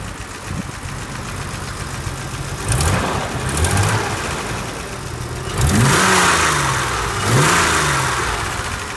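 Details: 1983 BMW 635CSI straight-six (manual transmission), warm after driving, temperature gauge mid; smooth idle at about 800-900 rpm, then two pairs of clean throttle blips rising and falling evenly with no knocks or flat spots. Healthy revving.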